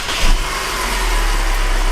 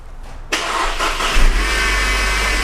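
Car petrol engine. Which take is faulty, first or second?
second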